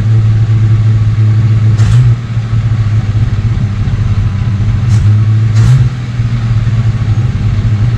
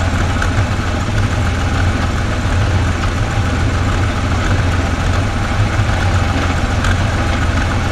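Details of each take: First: 1969 Ford Falcon first running after sitting for years, warming up, no brakes: steady low drone holding a fast, even idle with no dip or hunting. The carb idle speed is turned up too far. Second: 1969 Ford Falcon, first start after sitting for years, with a fuel pump fitted: steady, even low rumble with no knocks, misses or ticks; idles smoothly and sounds healthy.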